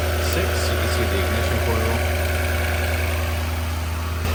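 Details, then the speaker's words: Lexus LS460 V8 on a cold start after sitting: slightly uneven, lumpy low idle with a vibration from a misfire; owner suspects a direct injector and plans intake and valve cover gasket work. "there is a little bit of a vibration which is the misfire right now it sounds kind of rough it's been sitting it's a cold start but we'll take a look at the engine"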